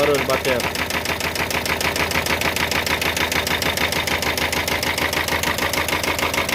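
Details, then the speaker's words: Peugeot Expert 1.5 van with engine noise after an unknown engine swap elsewhere; hard regular knock about three times a second while running; first piston seen striking the cylinder head, head marked on cylinders one and two. "esse aqui tá batendo na cabeça do cabeça do pistão tá batendo aqui no cabeçote"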